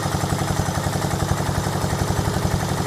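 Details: Little orange tractor, electrical faulty and needing a starter solenoid, fresh battery fitted: small engine settles into a steady, even chugging beat, about four pulses a second, running cleanly; the tractor is a runner.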